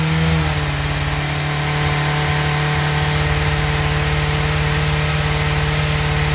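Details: 1996 Suzuki GSX-R 750 SRAD, carbureted, previously a no-start, fuel pump reconnected, started on choke with no throttle: it catches and settles straight into a steady, fast idle. Cause: idle adjuster set too high, then turned down. High idle.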